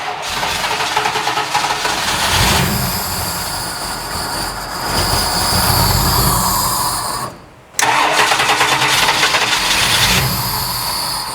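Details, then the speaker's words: 1972 Mustang Mach 1 V8 with new MSD Atomic fuel injection, first start: catches and runs lumpy, surging with throttle, cutting out once; only some injectors getting fuel, and a big vacuum leak is found. "That sucker is sucking in some air. Yeah. Oh, I got a big vacuum leak."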